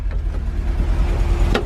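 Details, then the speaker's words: VW Vanagon engine idling just after fuel tank replacement: even low rumble with a steady beat and no misses, knocks or hissing; runs smoothly, no fuel leaks. "She's running."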